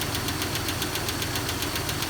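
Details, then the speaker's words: 2001 Jeep Cherokee XJ at cold start: sharp, even light top-end tick about five per second over steady idle, following engine speed and fading as oil comes up; owner suspects a lifter. "it eventually goes away which i think it's a lifter"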